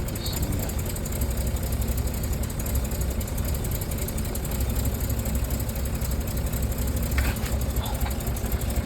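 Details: Rolls-Royce Silver Cloud S2, engine warmed in cold weather, plug leads pulled one by one to find misfiring cylinder: low idle with uneven, lumpy beat about four pulses a second; misfire, suspected plugs, cause not confirmed.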